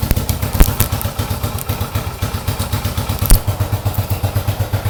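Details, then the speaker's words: 1970 Yamaha XS650 XS1 kick-start carbureted twin, freshly rebuilt (new pistons, rings, valve job, seals, exhaust), cold idle just after start: lumpy but steady thumping with light top-end clatter, no knocks or misses; slow to warm, sounds good. "I have a problem getting my earplugs back in, but I've cranked it up. You can hear it. It's idling. Takes a little while to warm up on these old carburetor guys, but you can see sounds really good."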